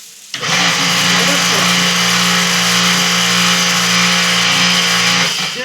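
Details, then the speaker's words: High-pressure washer after replacing a burnt capacitor (motor had hummed but not run): it starts cleanly, holds a steady, even hum with the cooling fan turning, then shuts off. It is running normally. "então a lavadora está funcionando normal"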